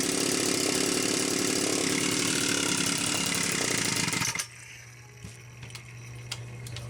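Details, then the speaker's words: Homelite Super XL-925 chainsaw after a new piston and cylinder; crisp high buzzing run with steady even pulses, then a clean drop to a quiet idle. Excellent compression; the initial smoke was assembly oil burning off. Runs healthy. "the initial smoke was the assembly oil burning off obviously this thing needs to idle a lot more"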